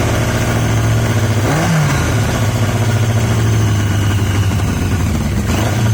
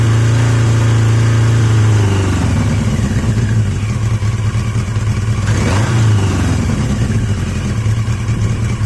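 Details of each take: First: Yamaha XJ750 four-cylinder motorcycle brought back to life: uneven, stumbling idle with a brief rev blip, running only on cylinders three and four; one and two not contributing despite spark on at least one. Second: Yamaha XJ750 "Mack" after a carb swap using the XJ650's carbs, filmed outdoors in wind; revs drop from a blip into a low, even idle that holds steady, the best idle yet, a healthy-sounding four-cylinder.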